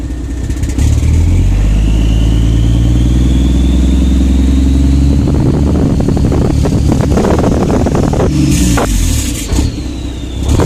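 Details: Diesel truck with new injectors and unit pumps, EGR and DPF deleted, no codes: deep rumble turning uneven and stumbling under light throttle, ultra rich, fine at wide-open throttle; part-throttle misfire, cause unknown.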